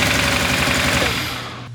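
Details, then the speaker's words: Nissan RB25 first run after installing an aftermarket cam and crank trigger kit: a harsh, ragged crackle and popping misfire, then it dies. Ignition harness leads were put on backwards, firing out of order; fix is reconnecting them. "Yeah, those are backwards. Oh. That'll do. That'll do it. Wiring specialties, they label the harness and everything, and I still put it on backwards."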